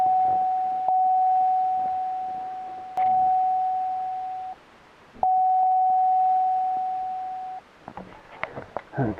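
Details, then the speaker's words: 2008 Pontiac Grand Prix at key-on, left front ABS sensor/wheel bearing pigtail faulty, disabling traction control: two long steady mid-pitch chimes of about two seconds each, Service ABS and Service Traction warnings. "so service ABS service traction"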